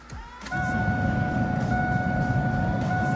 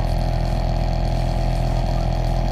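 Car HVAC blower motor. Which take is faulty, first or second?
second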